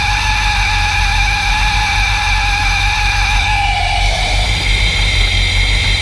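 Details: Magnuson 2300 supercharged engine idling: deep steady rumble with a clear high whine over it.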